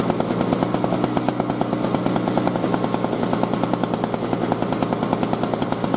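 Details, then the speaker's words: 2003 Murray single-stage snowblower, last run five years ago and previously leaking gas, revved up to test torque: a fast, even two-stroke buzz with crisp, regular firing that holds steady under throttle, running cleanly. "so let's try revving it up again and we'll see what kind of torque we have"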